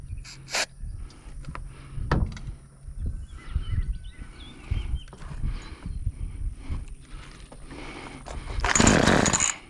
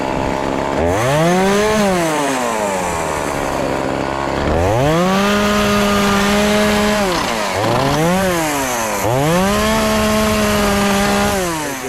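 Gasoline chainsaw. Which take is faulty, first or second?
first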